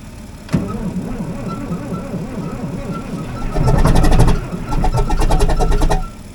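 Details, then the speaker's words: CAT D7 dozer diesel, cold, after charging a dead battery: low, uneven chugging at about four beats a second with occasional catches, cranking as fuel finally reaches the cylinders and trying to fire. "So, as you could hear there, we finally got fuel up into the cylinders. It's trying to start now."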